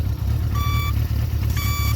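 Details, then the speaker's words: 1975 Honda CB550 Four, 9786 miles, still with original 70s turn signal reminder beeper: two clear steady high beeps about a second apart over low engine idle; signal beeper working normally. "all the the 70s Hondas like to have the little turn signal uh beeper on them I guess to remind you that you had your signal on"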